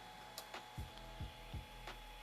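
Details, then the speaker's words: Ender 3 Pro with BL-Touch and SKR Mini E3 V2, Z-homing firmware, during auto home at the bed center: light ticks then three evenly spaced soft thumps as the probe taps the bed; normal homing. "And because we choose for the firmware with the Z homing, it is going now to the midpoint of the build plate, and it is going to probe for the center point of this bed, and"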